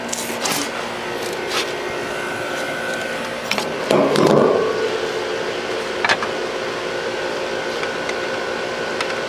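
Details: HVAC unit serving church classrooms, first start after the bad contactor was replaced and the disconnect put back in. The contactor pulls in with a thump and the unit comes up to a steady, even run with no chatter or buzzing; it sounds healthy.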